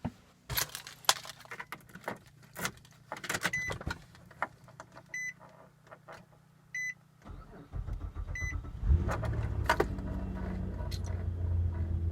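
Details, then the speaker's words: Car that sat unused in a garage, before battery charging: door beeps, then a faltering crank that sputters before the engine catches and settles. Normally it fires right up; a weak battery is suspected. "I don't know if you could hear that, but that hesitation there, this vehicle normally does not do that. Usually it fires right up. Last few times, as I mentioned, it's been doing that where it kind of sputters a little bit and then starts."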